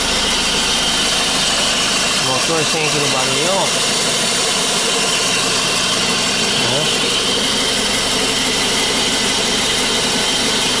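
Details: Renault Megane with a complaint of variable pulley noise: a steady, even idle with a smooth hum and no knocks, ticks or squeal from the pulley area, and the engine sounds healthy.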